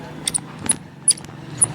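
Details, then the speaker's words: Domestic LPG gas regulator: short high chirps and squeaks with friction as the knob is turned on and off; worn button O-ring, regulator leaking at the button. "इस तरह से move करने पर ये ताकत के साथ button घूमता है और ऐसा महसूस होता है कि अंदर से घर्षण हो रहा है, रगड़ रहा है, स्मूथली प्ले नहीं हो रहा है। ची ची की आवाज़ आ रही है दोस्तों, देख रहे हैं आप। तो यदि ची ची की आवाज़, इस तरह की आवाज़ आती है, तो हमारा रेगुलेटर 100% लीकेज है।"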